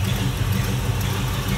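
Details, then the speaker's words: 1973 Chevrolet Nova with numbers-matching 350 V8 and Holley carb, idling after coming off high idle: an even, steady, throaty rumble with no knocks or misses. Smooth, healthy idle. "Smooth running 350."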